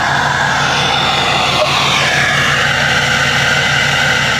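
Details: 6.7L Powerstroke diesel just after fitting 64mm Stage 2 KC/PSC Whistler turbo with new tune: steady idle with a clear constant high turbo whistle on top; healthy.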